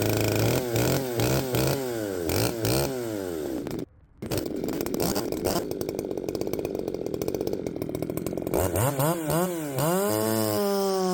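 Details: Poulan 3750 chainsaw fitted with an adapted Chinese carburetor, at the same tune as before; it previously ran erratically when warm. Revs up and down cleanly, brief cut near four seconds, then a steady high run. Normal running.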